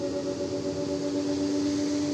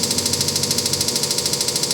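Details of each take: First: Samsung WD106 washer-dryer (heater removed) ramping up toward 100 RPM, where a noise begins. Here a smooth, steady motor hum with soft swishing and no knocks. Drum rotation still normal. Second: Samsung WD106 washer-dryer spin with all-new parts fitted: fast even rattling knock, about thirteen a second, starting near 100 RPM and growing louder; drum seems to hit something inside, cause still unknown.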